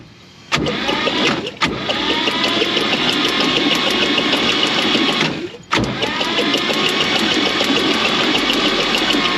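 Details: 1949 Chevrolet Advance Design truck engine, unstarted for over 30 years, jumped from another truck: repeated cranking bursts, uneven sputtering catch, coil buzzing loudly; hard start.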